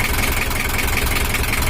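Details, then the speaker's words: Toyota Hiace LH11 diesel, brought in running rough like a dompeng, at idle after setting: idle raised because of a weakened injection pump plunger, bigger fan fitted for cooling; even clatter about five beats a second, no misses or knocks; sounds normal and ready to work. "Ini udah suaranya udah normal dan udah siap kerja"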